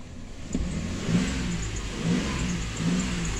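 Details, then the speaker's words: 2008 Ford Explorer after new fuel pressure sensor installed and codes cleared, at night: strong, even revs rising and falling smoothly with no misses, knocks or hesitation; runs like new. "how smooth she running."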